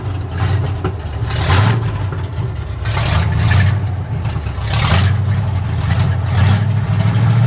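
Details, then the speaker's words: 1965 Ford F250 Camper Special with a rebuilt 352 V8, parked for years: idle surges and sags every second or so with uneven firing underneath. The rough running is blamed on something in the ignition circuit. "okay the reason it's running like this is because of it something in the ignition circuit"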